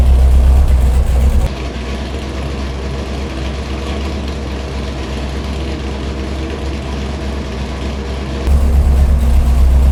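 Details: Big block Chevy 489 on a dyno, first-time build with aluminum heads, idles lumpy with a gap in the firing rhythm each cycle; one cylinder dead, plug wire and possibly wrong spark plugs suspected.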